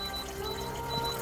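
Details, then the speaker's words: Hygger 100 W quartz aquarium heater, set to 75°F, with water level dropped below it during a water change: shows E1 and emits thin intermittent high beeps over faint watery hiss, low-water warning; it does not shut off automatically. "and that beep is a warning signal to let you know to push the heater further down into the water"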